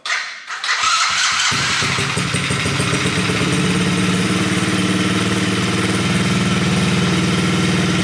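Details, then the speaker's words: Coolster 110cc dirt bike just fitted with a replacement PZ20 carburetor, choke off: engine settles into a steady, even single-cylinder putter with no misses, a good idle, maybe slightly low, rpm climbing during idle/air-fuel adjustment. "That sounds like about a good idle right there. That's what I think a good idle is. Might be a little too low. RPM's climbing a little bit."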